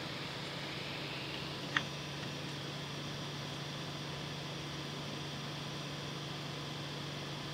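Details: Creality CR6 SE 3D printer after Noctua quiet-fan upgrade of power supply and motherboard fans, mic on the print bed: soft steady airy hum, faint low drone, no rattle or ticking; measured noise fell from about 53 to 49 dB.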